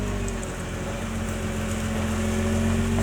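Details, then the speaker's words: MY20 Nissan GT-R R35 after cleaning rust from the left front hub ring and polishing the wheel mounting face: steering right at low speed and reversing, only drivetrain hum and faint tyre rumble, the former left-front clicking gone. "カチカチ音が鳴らなくなった。ではバックではどうでしょう。バックでもカチカチ音は鳴っていません。"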